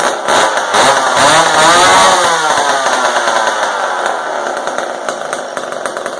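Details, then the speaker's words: McCulloch Super 10-10 vintage two-stroke chainsaw after carburetor high/low needle adjustment (carb not disassembled, old fuel dumped): crisp buzz climbs cleanly with throttle and eases back, no bogging or stumbling; carb well set, normal running. "I think this sounds pretty good. Let's try that guy one more time, see if it starts up."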